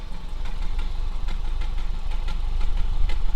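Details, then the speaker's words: Audi A2 1.6 FSI with an intermittent misfire after a cambelt job; VAG-COM showed a cylinder 2 misfire and the codes came back after parts were swapped. Uneven, mildly lumpy idle with irregular thumps heard at the rear of the exhaust; cause not yet confirmed. "But there definitely sounds like a misfire at the back of the exhaust."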